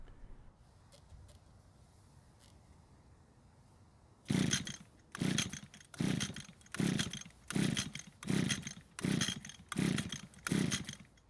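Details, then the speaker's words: Older gray Echo string trimmer, unused for a long time, primer bulb will not fill with fuel: about eight evenly spaced pull-start strokes, roughly one a second, with no firing; no-start, engine not drawing fuel from the carb. "I'm not able to get any fuel into the bulb which is not a good sign so the chances of the engine starting is very unlikely"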